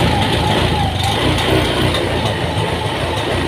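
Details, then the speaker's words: Honda injected scooter (Beat FI), just serviced and with a stored DTC: the single idles unevenly and stumbles at about three beats a second. Rough, hesitant running before an ECU reset done via the front brake switch. "nah seperti ini ini agak kurang enak ya agak merubet-merbet"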